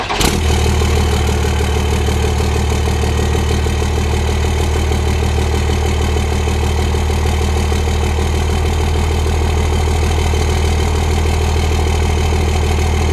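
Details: Turbo diesel truck, somewhat smoky, exhaust coming from the turbo; quick crank and catch, then deep steady diesel rumble with even firing, no knocking or hunting; normal idle.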